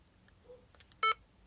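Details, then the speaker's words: Quiet room, then a single short electronic beep about a tenth of a second as the handheld book-reading device's rear button is pressed and held; normal power-on beep. "So to turn it on, you press and hold the button and then you should hear a noise."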